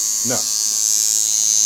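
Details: Cheap kit coil tattoo machine after tuning with low-cost eBay parts, running at about 6.5 volts: a steady, even high buzz with no stutter or rattle, set up for lining.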